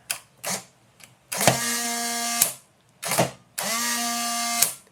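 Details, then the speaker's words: Polaroid SX-70 Model 1 film drive motor after reconditioning and drive shaft lubrication, original motor: two quick bursts of smooth steady whirring, clean start and stop, no drag or grinding; runs normally. "you guys hear the difference right so sounds like it's had a completely new motor installed um it hasn't that's the original motor but what I've done is recondition it so that it now works again"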